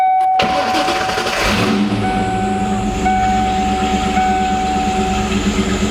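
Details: 1995 Ford Mustang GT after gas tank replacement for a fuel leak, with the old fuel pump reinstalled, run only briefly; quick catch then a steady low drone with an even hum; engine starts and runs cleanly; normal start and idle.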